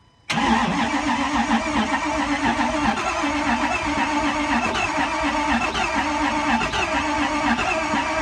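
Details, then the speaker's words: 2008 Ford F350 6.4 Power Stroke diesel, 6-speed manual, after fresh oil and glow plug warm-up; starter churns steadily about eight seconds with no firing; fuel possibly not primed, suspected. "Maybe let the fuel prime. Maybe it was not primed."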